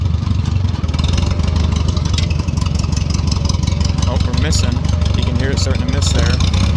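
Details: 1940 Farmall H with M&W 9-speed, lugging under load in gear: low engine with uneven beat, firing pulses dropping out; misfire, likely fuel-related.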